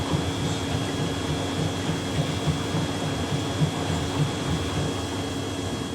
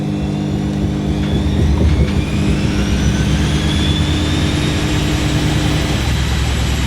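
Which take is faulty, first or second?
second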